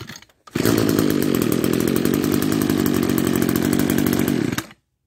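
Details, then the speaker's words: Old Echo SRM-210 trimmer revived with gas, new fuel lines and spliced kill switch wires, started on choke; crisp even buzz for about four seconds, no misses, cuts off cleanly, healthy running. "bingo thank you it works"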